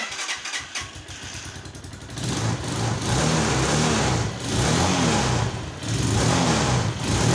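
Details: Chinese 125cc single-cylinder motorcycle started after years of storage, fuel added to tank: catches after a few hesitant turns, then revs unevenly in surges; owner plans carburettor and ignition tuning.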